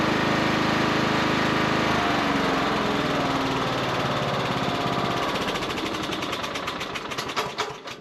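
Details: Cub Cadet riding mower after no-start repair: smooth, even single-cylinder beat around idle with no stumbles, then winds down cleanly at shutoff; ran perfectly.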